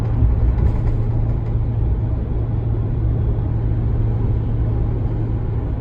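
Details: 2019 Ram 1500 steady deep low cabin drone at cruise, occurring only in 8th gear regardless of MDS four-cylinder mode, persisting after the dealer replaced the sound amplifier; an even hum with nothing else on it.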